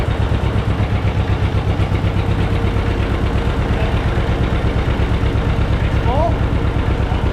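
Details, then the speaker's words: John Deere 630 two-cylinder tractor, long-stored in a barn, first start, good oil pressure: slow lumpy thump with a sharp puffing tick each firing from an exhaust manifold leak; carb seems dirty, it tends to die out. "All right. So, it sounds like that ticking noise is a little leak here on the manifold. It's blowing out right here."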